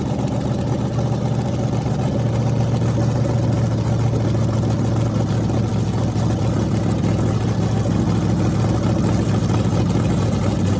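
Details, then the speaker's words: Freshly rebuilt small block Chevy 350 (355), with honed cylinders and pistons installed, for an OBS Chevy truck, running on an engine run stand through open headers: deep even burble, steady firing, no misses or knocking. A normal, healthy engine. "and this thing sounds mean as can be so I'm just excited to uh be able to let you guys hear it"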